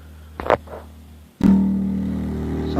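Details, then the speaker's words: Ampeg BA115 bass amp that distorted with a fuzz sound, after adjusting the internal bias trimpot: a plucked bass note rings clean and sustained with no fuzz or crackle; amp sounds healthy. "you just toggle it that fuzz sound will go away so let's listen to it now sounds better"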